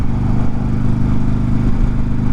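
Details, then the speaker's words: 2005 carbureted Yamaha motorcycle, slow to warm up: steady, fast idle hum with a busy, even beat and no settling down; idle set way too high, with frequent popping. "you can hear it you can just hear the idle is way too high and it likes to pop a lot"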